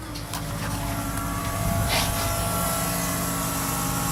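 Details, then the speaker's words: 1996 Ford F350 7.3 Powerstroke diesel with electronic fuel conversion, new fuel pump after a cheap pump: steady, even hum with faint constant-pitch whine, sounds a lot different; pressure gauge shows pressure, pump running normally. "sounds a lot different and I guess pressure at least it sounds like it your pressure gauge says so"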